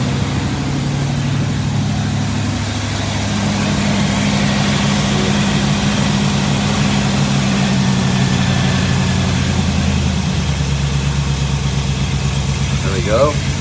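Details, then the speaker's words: 1963 Chevrolet Impala SS with non-original V8, after throttle linkage work: deep, even burble holding a steady low idle with no misses or popping; engine idling smoothly and healthy. "hear the difference not idling I [Music] sounds like a beast"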